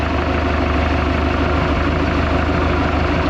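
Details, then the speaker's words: 1976 Mark Twain boat, Mercruiser 120hp four-cylinder (once stuck), fully warm at idle during tune-up after fuel injector cleaner was added: smooth, even low rumble with a steady beat, no knocks or misses; valve-train noise completely subsided, normal warm idle. "this engine is quiet as any engine should be kind of tickled about that"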